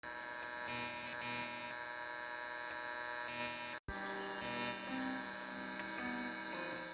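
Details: VW Golf 5 RCD300 (Grundig) radio with aftermarket AUX adapter, phone plugged in: steady high buzz and constant whine under faint audio, absent on FM; ground-loop buzz on the AUX input.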